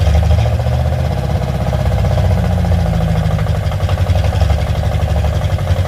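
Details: Carbureted car, loud with only a Y-pipe exhaust: a low, uneven, lumpy idle with irregular stumbles that barely holds. It won't run until the idle is turned way up, and the choke-side mixture screw is ineffective; faulty carburetor.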